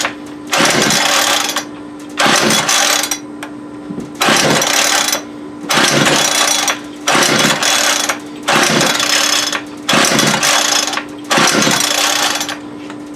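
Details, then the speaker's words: Homelite UT33650A 26cc trimmer with cracked, aged fuel lines that idles but bogs and dies on throttle: repeated rough throttle bursts about every two seconds dropping back to low idle. Carburetor fault, possibly air-fuel mixture. "there must be what he's talking about so we definitely we have a carburetor issue I don't had my hand on the throttle so it was killing [Music] it yep could just be air fuel mixture"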